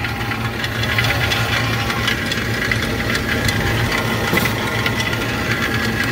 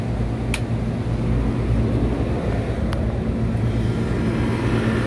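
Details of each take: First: Walk-in cooler compressor on the roof, found during preventive maintenance: steady running hum with loose, irregular knocks and rattles throughout, like rocks tumbling inside; internal mechanical failure, though the cooler still holds temperature. Compressor needs replacing. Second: Walk-in cooler reciprocating (piston) compressor running after leak check and packing work: a steady, even low hum with no knocking or rattle. Sight glass flashing; normal running.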